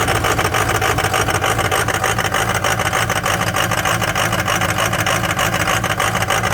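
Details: Cold start of a Ford 6.0 Powerstroke diesel with some bad injectors: uneven, lumpy idle clatter at about three beats a second, some cylinders missing their rhythm; rough idle from the bad injectors.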